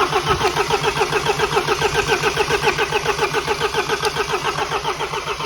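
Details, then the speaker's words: Mini 1.6 N47 diesel after timing chain, guide and tensioner replacement and engine refit, with air in the opened fuel lines: long, even starter churning at about 3.5 beats a second with no firing. "we've broken the fuel lines which means there's going to be air in these fuel lines which means it ain't gonna start straight away"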